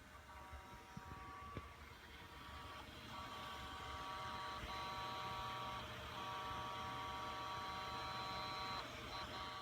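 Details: Seagate Enterprise Capacity ST4000NM0035 hard drive idle: steady spinning whine broken every second or two by a repetitive head seek/park click; fixed by a firmware update.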